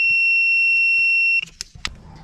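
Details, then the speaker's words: AUXITO 3500A portable jump starter with tire inflator, clamps connected backwards to the battery; a steady high-pitched reverse-polarity warning tone sounds for about 1.5 seconds and the red light shows instead of green. "if you hook it up wrong it's not going to be green if you hook it up backwards you're going to get the red light in a"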